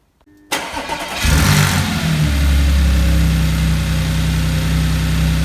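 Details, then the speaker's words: Salvage Audi S4 being rebuilt, first start after the work: brief crank, then a steady low idle that is slightly throaty, possibly from the exposed airbox cover and a defective, leaking exhaust clamp. Starts and runs fine. "there we have it she starts beautiful sounds fine prepare engine sounds good"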